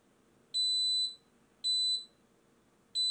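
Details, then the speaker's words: Xtool laser fire safety kit: loud high half-second beeps about once a second as a longer-lasting flame pushes the unit to level-2 fire alarm. "vous voyez, on entend déjà la différence. Donc là elle est passée en niveau 2 d'alarme."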